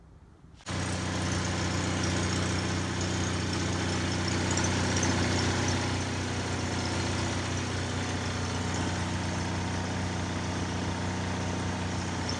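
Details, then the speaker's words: Onan generator for an MC9 bus RV conversion, after a cleaning that left it flowing better, with crud suspected: fires up quickly and settles into a steady, even drone at constant speed with no surging or misses; running properly. "I would call that a success"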